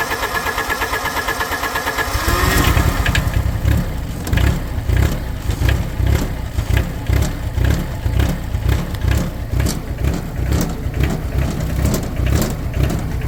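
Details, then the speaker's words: Cold start at 64°F on a Wacker Neuson 803 (Cat 300.9) mini excavator diesel bought as-is: cranks, catches after two seconds, then a lumpy, uneven misfiring idle with irregular thumps; owner suspects a bad cylinder or bad glow plugs. "See, I'm thinking that's probably going to be a bad cylinder. or a bad glow plug."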